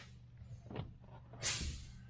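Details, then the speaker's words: Kenworth diesel truck with air-assisted hydraulic clutch, just repaired after slipping (broken springs replaced); quiet idle then one short sharp psst as the pedal is pressed, the air-assist solenoid venting to lighten the clutch; normal. "That's that. It's got an air assist kind of solenoid deal to it. And what it does is it helps in the depress. It makes it so it's very easy to depress the clutch."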